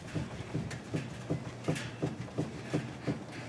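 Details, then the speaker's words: 2005 Chevy Trailblazer: steady dull clunks, nearly three a second, from a worn sway bar stabilizer link with a lot of play, heard going over bumps; link to be replaced. "so if you're going over bumps and you hear a clunking noise it is likely either your bushings up here for your sway bar or your stabilizer links here"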